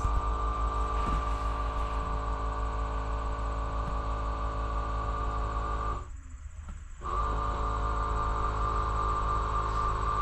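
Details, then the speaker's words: VT365 diesel bus engine with crank no start, grounds and cables cleaned: light ticking about three times a second over a steady low hum before cranking; owner thinks it is the hydraulic brakes. "I think that ticken the hydraulic brakes I think"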